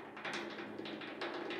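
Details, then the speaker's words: Vintage VW Beetle door hinge; pin slid into the rusted, worn hinge bore clunks with quick loose metallic clacks when wiggled; fix is reaming the bore and fitting a one-size oversized pin. "you can hear it just clunking around in there so this is you know this this hinge is uh has worn itself out pretty pretty good"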